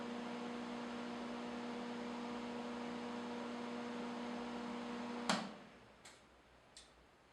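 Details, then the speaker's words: Hobart Stickmate AC/DC 235 welder idling after installing DINSE-style panel-mount lead connectors, cleaning and reassembly; steady, even mains-frequency hum, then clean switch-off with a few clicks; fairly quiet, normal transformer hum. "Okay, now that we're buttoned up, we're going to turn it on again and see how quiet it is."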